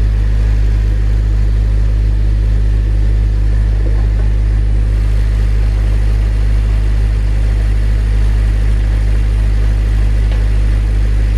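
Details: Honda Civic Si cold-started in below-freezing Texas snow: it fires and settles into a smooth, even, deep rumble with no knocks or misses. A healthy cold start.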